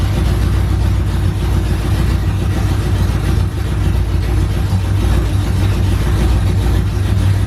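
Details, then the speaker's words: OBS truck finally running after fixes, straight headers, fire-up in the morning: loud, deep, steady burble holding an even idle without stumbling or dying. Idling normally, as it's supposed to. "well no she is finally running fine and idling huh supposed to"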